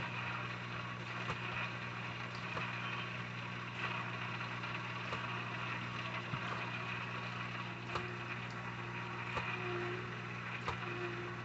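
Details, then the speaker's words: Temporary Vevor 660 GPH canister filter with UV lamp on a 125-gallon aquarium, just started up to replace a Sunsun HW-3000 whose O-ring failed: constant pump hum with scattered ticks and gurgles as trapped air works out. "Just working the air out. That's why it's noisy right now. It's got to get the air out. Gotta get that stupid air out of it. You can hear the air in it making that noise."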